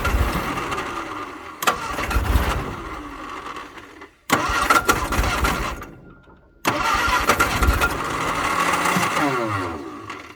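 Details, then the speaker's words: 1962 Vauxhall Victor, sitting 25 years, with a weak rebuilt starter; long cranking spells with uneven firing that picks up and fades but never idles, smoke filling the cab. Owner suspects carb issues or being out of gas. "all right it definitely has carb issues but I mean you can hear it trying to run but that's already pretty good"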